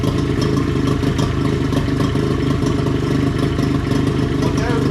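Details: 20HP Johnson outboard that sat seven years, after replacing two lower-unit seals, fresh gas and new battery, primed and started: steady, even two-stroke drone with no misses or knocks; runs smoothly.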